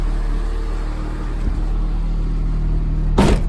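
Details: 1995 Honda Civic Si hatchback at idle, heard inside cabin after fitting solid racing-style eBay lower motor mounts replacing OEM: deep steady low rumble; engine vibration transmitted into body, dashboard shaking.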